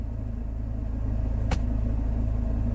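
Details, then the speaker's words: Car that has been losing power despite a full engine service and a new coil pack, on a short test drive in Drive: a heavy steady low drone with one sharp click, and it struggles to pull away, confirming a failing gearbox. "that is a more severe sound of what we were getting before I had a feeling the first time I turned up it may be the gearbox"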